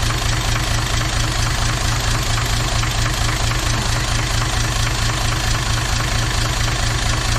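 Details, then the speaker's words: Toyota 2H turbo diesel in a Jeep idling rough with a regular knock about 88 a minute; cracking the injector lines changed the back five cylinders but not number one, so the fault is in number one cylinder, cause not confirmed. "all right so whatever has gone wrong is in number one cylinder so I went through and cracked all the injector lines and you can hear the difference on the back five but there was no change to the way ran on that front cylinder"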